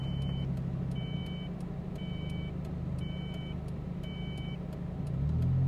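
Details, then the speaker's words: Ford Probe on a highway drive, slight exhaust leak; a steady paired warning chime beeps about once a second over road rumble as the transmission cuts out of drive and later fails. "and then it started to beep, beep, beep, Okay. beep. We're gonna get killed here."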